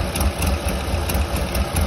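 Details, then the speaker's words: Old Honda with a bad ignition miss despite a new coil, plugs, wires and distributor: lumpy idle broken by sharp backfire pops from the tailpipe; exhaust leak on that side, injectors to be tested. "oh now you can hear it backfired out of that pipe there"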